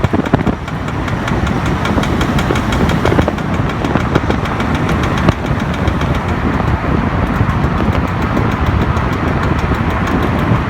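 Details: BMW E60, rear knocking at all speeds in D, gone in N, with vibration like shaft hitting body; flex disc and center support replaced without help: dull uneven knocking over road rumble; fixed by replacing driver-side rear output shaft (worn CV joint).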